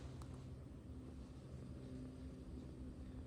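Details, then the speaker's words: Diesel heater preheating an RV6A airplane engine in winter, turned on and set to high, warming up: steady low hum with faint even fan whir, no surging or rattles; running smoothly. "Okay, so it's warming up. It's spooling up, doing all that stuff right here."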